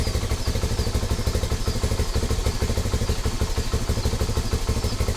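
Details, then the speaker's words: Rusi Flash 150X V3 2026 motorcycle, about 4 months old, cold engine: idle starts fine then becomes uneven with stumbles and delayed combustion, about three pulses a second; owner says it smooths once at operating temperature; rough idle when cold. "nangyayari lang naman ito pag malamig pa yung makina. At kapag na-reach niya na yung operating temperature niya, ito mamaya pag nagdalawa na ito or tatlo, babalik siya doon sa idle niya na consistent ang combustion. Pero sa ngayon, ayan o, delayed ang combustion niya."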